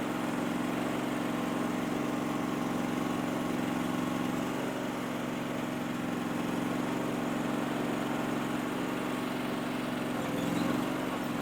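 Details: Powerease R740D twin-cylinder engine on a Chinese CRT-23 mini skid steer, after fixing fuel problems with a fuel pump; steady, even idle hum with no surging or bogging, where before it would pop and shut off.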